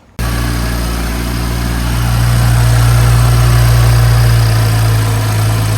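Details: BMW 335i with M55 engine after oil filter housing gasket replacement, cooling system refilled and bled: steady even idle with smooth low hum, no knocks or misses; brand-new belt tensioner shows slight vibration but belt drive runs quietly; no leaks, engine healthy.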